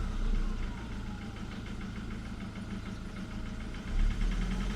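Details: Jaguar X-Type 2.0 diesel idling with a light, uneven knocking or rattling from the driver's side of the engine, about three or four taps a second; the owner has no clue of the cause.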